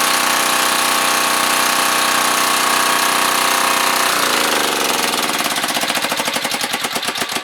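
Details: Curbside freebie small generator, near-new inside: fast even buzzing run that drops away as the engine winds down, no knocking or misfire; normal running.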